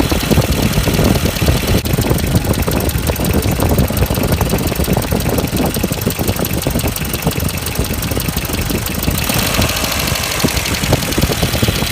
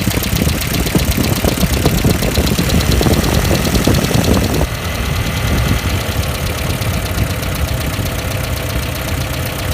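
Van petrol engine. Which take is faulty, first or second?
first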